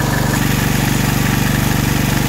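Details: Generac MegaForce 6500 generator, about 20 years old with 71 hours, on idle control after the low-speed screw was adjusted (high speed set to 61.4–61.5 Hz). Low, steady thrumming with an even firing pulse and no misses or knocks; normal low idle.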